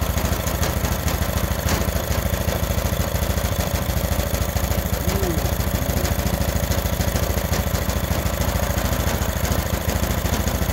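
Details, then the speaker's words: Freshly rebuilt Honda GX390 13 hp single-cylinder with vacuum-powered auto choke: even, regular thump at steady idle, no hunting or surging; the auto choke opened by vacuum right after starting, now working. "soon as it started up the turn the choke off with the vacuum beautiful so we got the auto control working"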